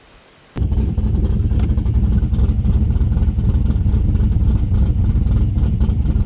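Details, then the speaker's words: 5.3 LS-swapped SN95 Mustang after heat-shielding fuel lines near the header to cure vapor lock: starts and settles into a steady, deep, even burble with no misses, running a bit rich at idle. "seems like it's getting fueled no problem now. I got it running a little fatter though, too."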